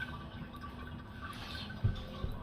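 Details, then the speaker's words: Toilet ghost flushing: low, steady rush of water refilling the tank with nobody flushing, as a worn flapper lets water leak out of the tank; fixed by replacing it with a universal flapper and chain. "i don't know if you can hear that that's a clear sign that this flapper is no longer doing its job water just leaks out the tank refills leaks out the tank toward its it sounds like someone's flushing the torch in the middle of the night"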